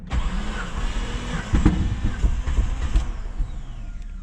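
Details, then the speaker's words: Project Bravo engine after new Fel-Pro head gasket and new battery: fuel pump primes, strong fuel smell, starter cranks with uneven weak chuffs and brief catches that never take; owner suspects low compression, head gasket not sealing; crank no start. "it almost started just need to get it going I don't know it almost sounds like there's no pressure sounds like it wants to go I smell a lot of fuel so the fuel pump is definitely working"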